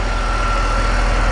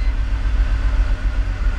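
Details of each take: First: E46 BMW 3-Series with sporadic cold-start misfire, after swapping parts back: steady, even warm idle with a faint constant whine and no missed beats. The misfire seems to go away once the engine warms up; normal idle. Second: E46 BMW 3-Series with coil-on-plug ignition, restarted after clearing codes during a coil-swap test: the idle is mostly steady with occasional stumbles, shaking felt. An intermittent misfire, worst on startup, with no code set yet.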